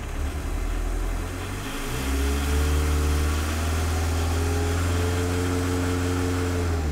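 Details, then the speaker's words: MK1 VW 1.6L turbodiesel with VNT turbo, standard control version restored after optimized version pulsed: revs up to smooth even drone, no rhythmic surging; drive pressure target 7 PSI, holding about half PSI exhaust pressure; boost control normal. "so right now we're at about a half a PSI of exhaust pressure and it's doing a good job it's holding it"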